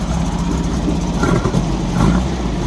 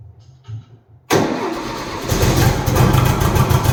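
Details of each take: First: 1964 VW Beetle flat-four with a backfire problem, running after the faulty ignition part was replaced: even, low, steady idle with no pops or misses, firing on all four, still slightly cold; normal idle. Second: 1964 VW Beetle with ongoing backfire, testing a borrowed brand-new ignition coil mounted loose: catches and runs rough and lumpy with sharp pops about every second; new coil did not cure the backfire.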